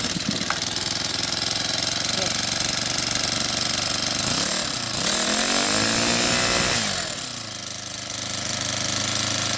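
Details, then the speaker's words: Honda GX35 brush cutter engine after rocker arm replacement, started on choke with the pull cord: steady high-pitched buzz with a few even rev swells and no misfire; running normally. "แล้วนะครับขึ้นครับก็สตาร์ทติดเป็นที่เรียบร้อย"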